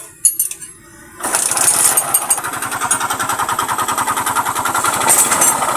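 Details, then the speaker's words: Rider G FI motorcycle engine brought in for a strange noise: after start-up, a steady hard knocking with every revolution over the idle, typical of a worn connecting rod. "At ang problema ng kanyang motor, pakinggan natin. Dito sa makina kasi, kakaibang tinig."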